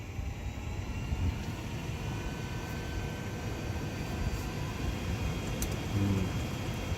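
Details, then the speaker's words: 2011 Toyota Sienna HVAC blower after replacing the old motor (lasted ~100,000 miles) with a cheap $80 motor: at max fan speed a thin constant high-pitched whine rides over the airflow; the new motor doesn't sound right, likely to be returned. "so I could hear a motor sound it's kind of annoying it's like this higher pitch motor sound let's turn on the way to max"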